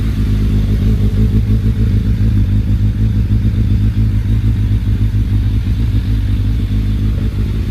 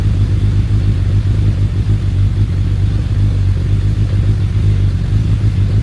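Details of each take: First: Suzuki Bandit 1200S with SACS cooling and a new battery, warming up before a road ride: a deep, steady four-cylinder burble with even firing and no knocks or misses, a normal healthy warm-up idle. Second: Suzuki Bandit 1200S, started easily on choke with a jumped battery, settling to idle: steady deep rumble with a faint uneven churning, no knocks; owner attributes churning to the clutch basket, possibly the SACS cooling system.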